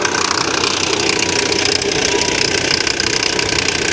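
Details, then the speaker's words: Salvage-auction car listed as a non-runner that did start: loud, fairly regular knocking at idle, about three per second over a busy engine note; serious engine knock, source unclear (pulley or timing chain wondered). "now you hear that god-awful noise right what is that noise is that a pulley or is that a timing chain that sounds really bad"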